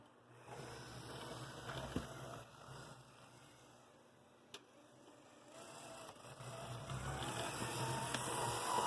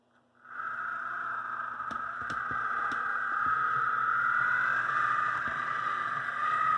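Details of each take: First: AC Gilbert Alco diesel model locomotive running slowly on track with its shell off after the drive shafts were installed: a soft, even motor hum with a light regular gear whir. Drive runs smoothly; the noise comes from the shell. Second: AC Gilbert Alco diesel model locomotive under restoration with the shell fitted, after the drive shaft problem was fixed and before extra weight was added; small motor whine with a steady rapid rattle at about four taps a second from the body shell.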